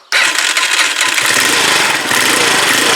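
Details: Huoniao HN125 motorcycle after engine installation, tappets adjusted, running off a jump pack with no battery: fires straight away and settles into a steady, even idle with no top-end ticking.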